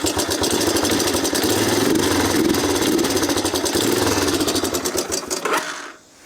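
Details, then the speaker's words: 1987 Honda TRX250 Fourtrax ATV running after sitting for years, with no air filter and the idle just adjusted down. Fast, tinny clatter rides over the idle steadily until shutdown, and the valve cover may come off to check. Metallic top-end rattle, cause not yet found. "Why does it sound so metallic? Like a lot of metallic-y stuff happening over here. Doesn't sound the healthiest, if I had to be honest."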